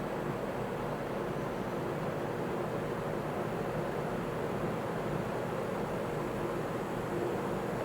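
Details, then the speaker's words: GE W22 and W25 box fans, both rated 3-amp motors, running on low: steady rush of air with a signature faint low motor buzz underneath. "you can hear that signature buzzing noise."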